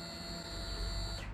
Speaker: you could hear that that's the fuel upon Prime it